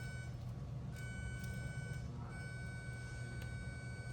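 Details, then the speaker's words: Continuity tester on a car's wiring harness: a thin, steady high beep cuts out and returns as the harness is moved, revealing an intermittent dead short to ground. "I don't know if they can hear the beep. It's just intermittent as you're fudging with the harness right here."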